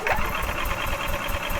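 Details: 2012 EZGO TXT gas golf cart, Kawasaki engine, wouldn't start after being parked, fuel smell, customer reports no spark; low even cranking thumps with no firing, crank no start; fuel flowing but slightly milky, possible water.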